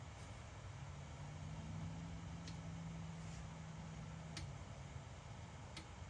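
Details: BMW E60 M5/E63 M6 SMG hydraulic pump during INPA bleeding after topping off with CHF-11S fluid (about 20 minutes): low hum swelling and settling with faint ticks every couple of seconds; normal operation.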